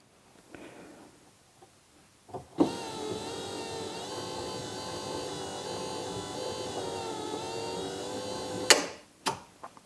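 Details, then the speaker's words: Third-gen Camaro IROC hatch pull-down motor (replaced), bench-tested with a switch: steady electric whine for about six seconds, then a clean click at end of travel showing the reversing switch works; normal operation. "right, so not only did I hear it and see it move all the way down, I heard it click when it got there. That click means the reversing switch is working, so it's telling the motor to go into the opposite direction now,"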